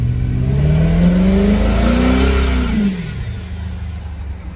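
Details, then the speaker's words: Forgotten Ford body welded onto a Crown Vic chassis, on its first drive after sitting a long time: a rising and falling whine over the engine that shifts with steering and revs. Owner suspects low power steering fluid; not confirmed. "like I got a low power steering this thing's been sitting for a [Music] minute"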